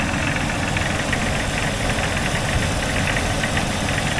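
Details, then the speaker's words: Jeep XJ just after engine cleaning, first start, exhaust smoking: fast even tapping at idle; owner suspects a broken or cracked piston, notes the knock lessens as the engine warms, and also hears an air leak sucking. "You hear that tapping? I think that's a broken piston."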